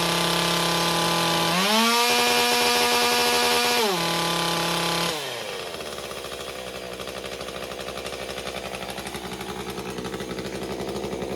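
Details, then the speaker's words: MS201TC two-stroke during performance work, maintenance and carburettor recalibration: the high whine rises and falls, hunting up and down before starting to settle. Engine speed surging during recalibration. "Okay, you can hear it in there surging. So, see, it's starting to settle in now."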